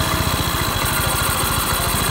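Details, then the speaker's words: Yamaha Mio 125 after TPS set to 18 and fixing corroded green TPS signal wire that caused stumbling and code 15: steady even low putter at idle, no misses; running normally. "menjadi motornya udah kembali normal Ya udah kembali normal"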